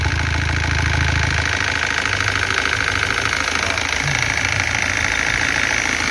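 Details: 2014 Iveco Daily 35S14 diesel, 347,000 km, cold start: after normal ~5 s lifter-charging noise fades, a fast steady light rattle (~3/s) persists from lower front of engine; suspected tired timing chain tensioner or worn chain kit.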